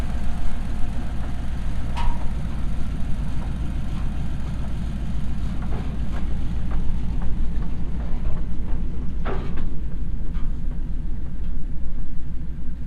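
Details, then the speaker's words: Early Ford transmission in coupe after second gear was destroyed by a missed shift: steady low drone with irregular rough churning and clicks; gearbox rough, clutch possibly damaged too. "And it sounds rough. It sounds like the clutch might be damaged also, because I can hear it spinning in there."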